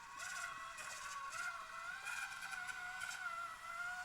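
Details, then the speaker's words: Modified Axial SCX30 Bronco RC crawler with Furitek micro motor, stock transmission: steady high-pitched whine over motor while driving; owner plans grease to quiet it; transmission gear whine. "And yes, I know she's noisy. I'm gonna get some grease, some clear grease to see if I can fix that noise, because it's really noisy. It is the stock transmission in here too."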